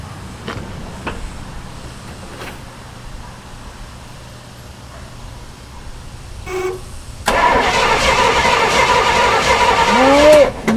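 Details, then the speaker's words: 1968 Pontiac LeMans, sitting 23 years, first start attempt with newly installed HEI distributor and fuel poured in: quiet cranking, then a sharp pop and loud burst as it tries to catch; backfire on starting. "so it definitely backfired yeah are we getting any spray down here"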